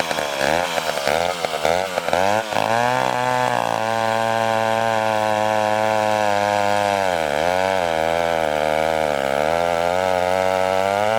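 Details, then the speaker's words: McCulloch 1-42 two-stroke chainsaw, restored project saw, cutting wood: settles into a steady high buzz under load, holding revs evenly through the cut with no misfire or bogging; normal cutting. "you know what just thing reminds me of is that saw from the Texas Chainsaw Massacre the original one"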